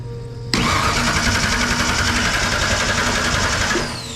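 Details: 1963 Ford Fairlane tribute build, first start attempt, fuel relay jumped to bypass PATS theft code, 30 psi fuel pressure: about three seconds of quick, steady cranking, roughly four beats a second, never catches; crank no-start.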